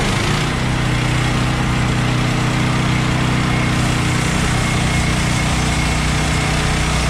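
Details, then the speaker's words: Bandsaw sawmill cutting 3/4-inch by 6-inch boards after the blade was refitted; lubricant mix cut back after too much Pine-Sol made it jump off. Steady engine drone under load with an even cutting note, no slapping or stalling; blade stays on, cuts normally. "as you guys saw the blade didn't jump off again i think the first time around with that new pine salt mixture i probably was going a little heavy on the pine saw"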